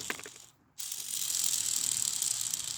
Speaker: Man. You can definitely hear that. Both bearings are shot. Click, click, click, click, click, click.